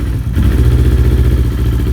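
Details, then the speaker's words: Kawasaki Ninja 250R twin after cold start with new fuel pump, low fuel: steady, even low putter, no misses, hunting or rattles; healthy idle. "But it is good. It's good. She's running."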